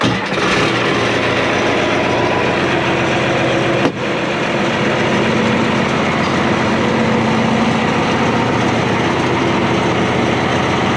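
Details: International IH 175C diesel track loader, first start after servicing fluids and filters with fuel filters bled. It catches quickly after a short crank and settles into a steady, even diesel rumble with no misses. Normal start and idle.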